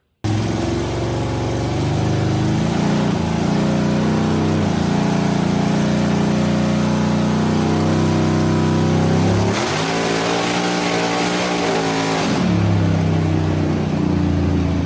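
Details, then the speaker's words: Record-holding all-motor Mustang V8 on the dyno after rewiring, timing pulled, 40% TPS making about 875 lb-ft: loud deep roar held steady, surging wobble midway as tires slip; engine pulls strong and clean. "Um the engine runs strong, sounds good. Um at 40% TPS it made uh like 875 uh foot pounds of torque."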